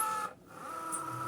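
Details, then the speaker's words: Cricut Joy cutter with a non-matching mat loaded, pen fitted; small motor whirring with light scratchy tones and a short pause, no grinding, some noise is normal because the mat isn't adapted, normal operation. "ça fait un peu de bruit les patrons ont tapis parce que on est d'accord quand vous arrivez il fait un peu de bruit c'est normal parce qu'en fait c'est le truc c'est pas adapté"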